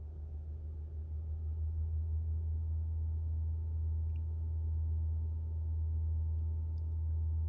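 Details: 2021 Toyota RAV4 Prime heat pump A/C compressor at startup in sub-freezing temps: loud, steady low drone with faint higher whine like a train horn, fixed by the TSB T-SB-0042-22 software update.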